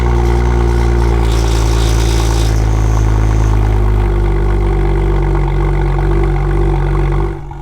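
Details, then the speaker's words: BMW M2 cold start: loud, raspy, buzzy drone from the rear that stays harsh as the idle drops; a fractured exhaust and a hole in the muffler cause the exhaust leak and rattle. "so on startup i started noticing that the car has a very sharp raspy tone to it and it was mainly coming from the back of the car"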